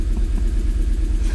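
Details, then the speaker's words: MG engine (known loud-ish ticking) restarted after a compression test runs rough: a low, lumpy idle with an uneven stumbling pulse and dropped beats. The misfire came from coil packs not pressed fully home, and it ran fine once they were reseated. "something doesn't sound right so i don't know why but it's running dog rough almost like when i first started it"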